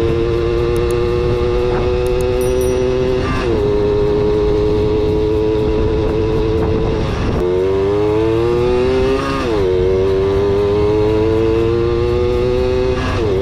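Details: Kawasaki KS II-50 two-stroke, after tank cleaning, with oil mixed into the fuel because the automatic oil pump is in doubt; riding, buzz climbs cleanly through each gear after every shift, no stumble or bog.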